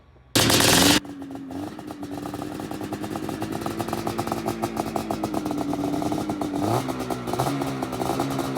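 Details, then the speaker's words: Known-running snowmobile fired up with a known-good CDI to get heat in it before testing a suspect CDI: after a sharp pull, two-stroke settles to a steady, buzzy idle with even crackle; normal idle. "That sound never gets old."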